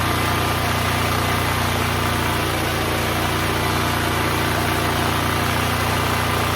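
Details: Neglected Duromax XP12000EH Hybrid Elite 12,000 W dual-fuel portable generator, revived and running without load: steady, even drone with no misses, knocks or surging; 63 Hz; running good.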